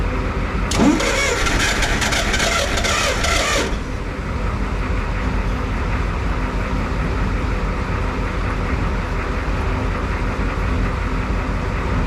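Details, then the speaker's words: Clark IT70 forklift with suspected fuel issues, after hooking up the throttle lever linkage: cranks briefly, catches and settles into a steady but fast idle; high idle, to be adjusted later. "so it's obviously I've been a little high but I can adjust all that later but yeah it's running so that's that's really good"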